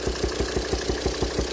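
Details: 2007 Volvo XC90 D5 185bhp diesel at idle, intake connection opened and closed by hand: sharp, steady popping about six a second through the intake manifold. Cylinder 5 exhaust valve lifter socket sheared, valve stuck closed; fix is replacing the cylinder head.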